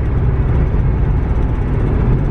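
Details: VW Touareg after a center driveshaft bearing fix, cabin at 75–90 highway speed: steady, deep rumble with no throb, beat or whine and no vibration felt; worn tires may add slight vibration.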